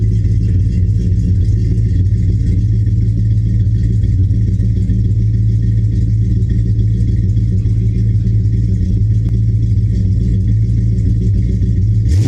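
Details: 1970 Dodge Charger, 383 big block V8, after installing Flowmaster American Thunder exhaust with Super 40 mufflers and H-pipe: deep, loud, lopey rumble at steady idle without knocks or rattles; healthy.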